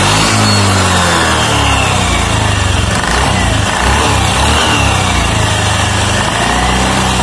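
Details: Automatic scooter just reassembled with reused rollers and the roller housing fully tightened: small single revs up and settles to an even idle, no rattle or slipping whine; normal running.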